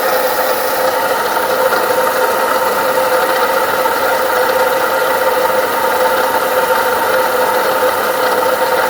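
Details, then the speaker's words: Ford Ka 2011 Zetec at idle: constant gritty whirring hum without knocking from a worn water pump bearing, with play in the rotor, not the engine internals; fixed by replacing the water pump. "ó Vocês estão ouvindo o barulho né a bomba d'água É isso aí eu vou desmontar ali e mostro para vocês a bomba beleza mas o barulho é bomba d'água"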